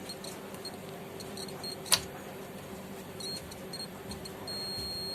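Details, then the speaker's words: 250 W Ahuja amplifier with a sound problem: multimeter probe on the rectifier's minus point and the transformer AC output wire point gives a faint steady continuity beep, indicating a shorted rectifier. "यहाँ पर देखिए हमारा shorting बतला रहा है। देखिए हल्का हल्का बीम की आवाज़ आ रही है, इसमें तो शॉर्टिंग बतला रही है।"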